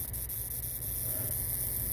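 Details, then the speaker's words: Vintage Zenith colour TV: steady low hum and hiss with faint sharp snaps from high-voltage arcing at the tube socket near the high-voltage pulse regulator, with a blue glow. "I can't tell where the arcing is coming from. There's your blue glow. High voltage pulse regulator. I see where it's arcing. It's a frickin' tube socket."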